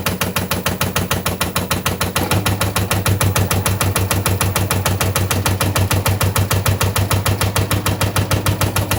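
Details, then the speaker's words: Washing machine running: steady knocking about three times a second with a low hum as the drum strikes inside the machine. Most often the cause is worn internal shock absorbers that hold the drum. "Если вы слышите этот звук в своей стиральной машине, то первый, который представляет собой стук внутри, — это удары внутри самой стиральной машины."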